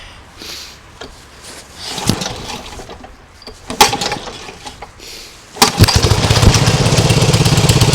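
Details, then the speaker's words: Nibbi G619 walk-behind tractor after carburettor work for hunting and a freed-up clutch: a few clunks and scrapes, then the engine catches quickly and settles into an even, steady beat with no rattles, knocks or new noises; normal running. "I don't hear any sounds that was you hear before"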